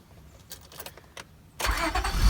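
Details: 1999 Honda Odyssey no-start with flashing green immobilizer key symbol, now fixed: short crank, engine catches cleanly and settles into smooth, steady idle with no stumbling.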